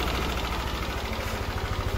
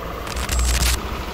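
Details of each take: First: Yamaha NMAX engine idling with a light, steady ticking over the low, even exhaust pulse, not very loud yet, before disassembly to fix it. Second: Yamaha NMAX scooter after fixing the engine ticking (lagitik): warm engine idling quietly at low even hum, traction control off, no ticking.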